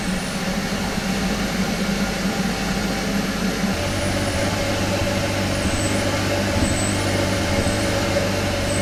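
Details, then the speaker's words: Kia Ceed GT cold start after sitting about 12 hours, with four new coil packs fitted: fast idle with an uneven, stumbling beat of about two lumpy pulses a second. Still misfiring cold; cause unknown. "it is still Mis faring a well that hasn't worked and honestly I don't have a clue what else it could be"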